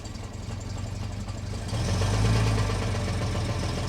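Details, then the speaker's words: 1970 Mercedes-Benz 250 (W114) at a Copart auction, just started, won't go into drive: low, lumpy idle with an uneven beat about four per second, never settling; rough idle, not smooth, cause unclear. "She's idling. She's absolutely idling. She's not idling smoothly, but she is idling."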